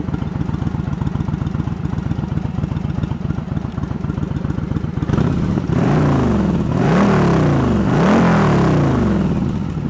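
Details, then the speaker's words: Yamaha Virago 1100 V-twin after carb repair and synchronisation: even loping idle, then smooth throttle blips rising and falling, cylinders balanced; one cylinder pops slightly, owner may adjust the air-fuel mixture screws after a road run. "But again, I want to run it, and because I know everything's gonna move around just a hair on the adjustments, but it sounds good. It sounds like they're playing well together."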